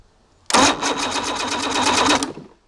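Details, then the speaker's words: Evinrude 150 XP outboard, abandoned, cranked with a remote start switch while a timing light checks for spark: about two seconds of steady, rapid cranking that never catches. No spark; trigger/timer base suspected. "nothing nothing guys it does not have spark so we're going to have to dig a little deeper"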